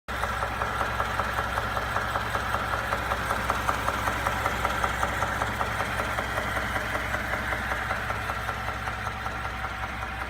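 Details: 2017 Ford F-150 EcoBoost at idle; sharp, even knock about two or three per second over a smooth idle, appearing within a few minutes of a cold start and within a minute of a warm start; cause unknown.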